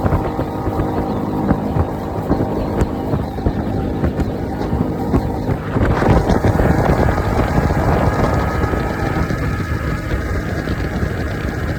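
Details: Honda 60 outboard after replacing a bad fuel pump: steady, even drone with no misses, surging or stumbles under some wind buffeting; the motor is running smoothly.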